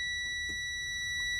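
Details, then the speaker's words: Semi truck at first key-on in the morning, with an air leak: a steady high-pitched electronic buzz, unbroken; the low air pressure warning because the tanks have bled down overnight. "do all our stuff, and I'll tell you what right now, if you hear that annoying noise and you see this readout, then you know you've got no air."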